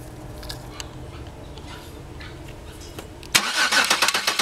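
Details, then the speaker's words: 2002 Chevy Venture 3.4, after fixing no-start/no-injector-pulse by connecting a new camshaft sensor: quiet hum, then the engine fires at once and settles into a quick, even idle beat; now starts and runs properly. "here as you can see is running I have the sensil right here the new one connected okay"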